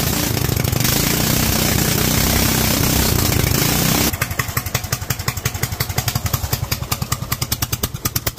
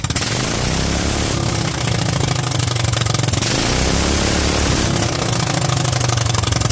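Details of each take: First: Kohler single-cylinder engine fitted with a Honda carburetor, being rejetted: idles happily but screams flat and hard at the top end, then drops to uneven popping chuffs as it slows; running very lean at high rpm. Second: Kohler single-cylinder engine with a Honda GX390-type carburetor, .024 idle jet and 47 main jet: a steady, even beat with a strong low rumble and no stumbling; runs happily, with slightly less kick than the 45 jet.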